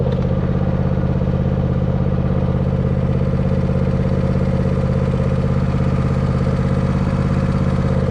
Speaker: Sounds like she's running pretty good. Yeah. So she starts here again.